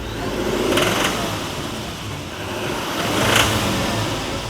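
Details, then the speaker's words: Brand-new diesel truck whose fuel tank got one gallon of DEF (exhaust fluid) in about 30 gallons of diesel; two quick revs give a hard, rattling fuel knock over each rise. "Apparently, one gallon of death and 30 gallons of fuel will cause this."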